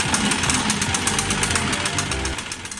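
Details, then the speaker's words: Stihl BR600 4-MIX blower running after valve adjustment and a new spark plug: fast loud buzz with a rapid rattle and small internal knocks; owner suspects a timing gear problem and recommends opening the engine. "Bueno, hemos hecho el reglaje de válvula y hemos arrancado la máquina y se aprecia unos pequeños golpes dentro."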